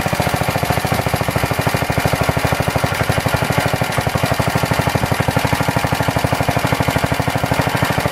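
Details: Planet Jr. Model B walk-behind tractor, first start after cleaning the carburetor, draining old gas, adding crankcase oil, belt off: single cylinder thumps about three beats a second, unevenly spaced. No smoke; idle won't settle, needs carburetor adjustment.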